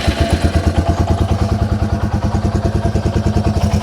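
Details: Yamaha TW200 single at idle, carb-to-head boot fully clamped, choke off: steady thumping idle with even pulses, about three per second, no stumbling; normal idle.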